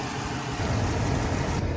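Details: 2009 Dodge Charger R/T 5.7 Hemi V8 after water pump, thermostat and coolant temperature sensor replacement, bleeding the cooling system: steady low rumble, even rhythm, no knocks or ticks; normal idle.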